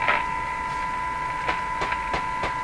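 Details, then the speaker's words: Northern Electric Baby Champ AM radio during IF alignment, with the IF found at 438 instead of 455. A steady tone with harsh crackling static crashes and garbled sound indicates an internal fault. "well we have lots going on here and it's not good got static crashes for no reason we got garbled sound"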